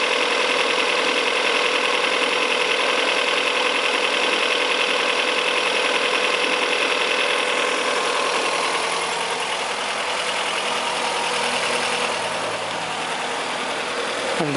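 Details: Fiat Brava after fine adjustment of the timing belt tensioner to cure an engine noise: engine idles smoothly with an even, quiet mechanical hum and no tapping from the belt area; noise resolved, sounds healthy.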